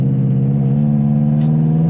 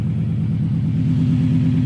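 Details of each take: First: Subaru Legacy GT driven on a new tune with redline held at 4,000 rpm: engine note climbs, then on lift-off a quick fluttering chatter as boost dumps through the Grimmspeed blow-off valve, whose spring the owner suspects is overly hard. Blow-off valve flutter. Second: Subaru Legacy GT project car under light throttle, easily hitting boost: low steady rumble with a quick, even puffing pulse tracking the engine, an exhaust leak, otherwise sounding good.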